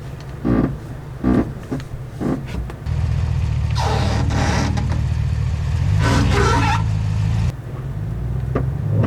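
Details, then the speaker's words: Lifted 2022 Chevrolet Silverado ZR2 with 2-inch level kit on 35-inch tires, reversing at full right lock: two rough scraping rushes under steady engine drone; tire rubbing on the right side. "oh yeah that's not good all right so to the right it's definitely rubbing"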